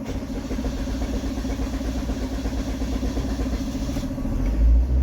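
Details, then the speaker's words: Maruti Swift Dzire with a hard, long-start complaint and electric power steering (EPS) not assisting: steady low churning during a long crank before the engine finally catches. The cause is not yet known and the car is going to a scan tool. "ये start हो तो गई है काफी लंबा और ये steering भी कम नहीं कर रहा है इसका"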